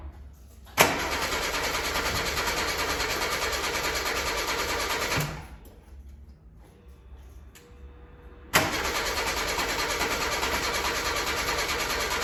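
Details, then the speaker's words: 1988 VW Golf MkII barn find, stood 14 years, new fuel filter, pumps refitted, lines blown out: starter cranks steadily about four seconds, stops, cranks again, no catch; crank no start, spark plug bone dry, no fuel reaching cylinders. "okay not yet so let's get a spark plug out and see if there's any fuel getting into the cylinders okay so that as you can see it dries bone there's still no fuel getting into the front or into the cylinders"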